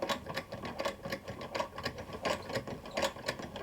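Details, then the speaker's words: Vulcan Senior toy child's sewing machine (made in England), hand-cranked, clamped to desk, thread tension parts substituted; even light clicking about 83 per minute as needle cycles, smooth healthy chain stitching. "starting to let go of the chain there now trim that off because it's unraveling you can see how the chain stitch can unravel here so there we go not bad"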